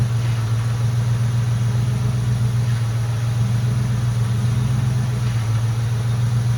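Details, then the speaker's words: Mustang GT with hydroboost after bleeding air from the power steering and bypassing the heater core: a smooth, steady idle. The earlier power steering pump noise is basically gone. "and so now you'll see when I started up the noise is basically gone"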